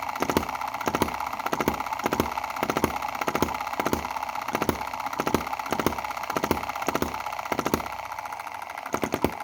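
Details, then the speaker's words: Cheap Chinese M19/EM2 hit-and-miss gasoline model engine, two months old, plug fouling, before valve-timing (cam) adjustment: firing pops about ninety a minute, with three beats weak or missing; misfire blamed on valve timing. "so you hear it's not firing on one two three: one two three: one two three: there's three instances where it's not [fully] firing"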